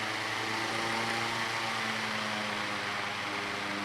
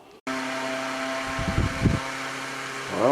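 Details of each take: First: Kwik Kool oscillating fan with the oscillator hitched up by wire: quiet steady hum and fan whoosh, no rattle, but low pitch; owner thinks the oscillating cam's friction is slowing the motor's rpm. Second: Old yard-sale Kwik Kool oscillating fan the day after rewiring and soldering the cord wires: steady motor hum with a faint whirr, running smoothly and evenly; a little noisy but working fine.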